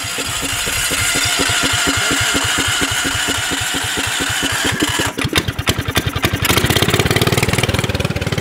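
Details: Subaru Robin 9 hp single on a Yerf Dog go-kart after swapping the 22 mm Mikuni carburetor for a 26 mm one to richen it, on a test drive: even thumping that revs up cleanly without stumbling, the lean running now fixed.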